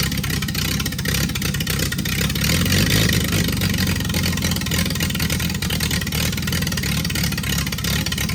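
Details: Freshly rebuilt Triumph TR6 six started cold, on chokes, carbs not yet adjusted; runs loud and uneven with beats wandering instead of settling to a steady idle. Runs well once warm with chokes off.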